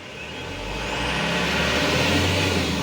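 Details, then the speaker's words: Mitsubishi Canter Euro 4 common-rail diesel truck, throttle fed in gradually: diesel roar climbs smoothly and steadily over about two seconds with no stumbles, rpm stable and power felt; normal acceleration. "kita coba gas secara perlahan suaranya mesin rpm nya dia pun akan lebih stabil dan tenaganya akan terasa"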